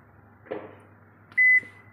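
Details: Toshiba 9 kg washing machine that washes but won't spin, showing error E2; a soft clunk then one sharp high beep, the E2 alarm; technician suspects a broken lid switch.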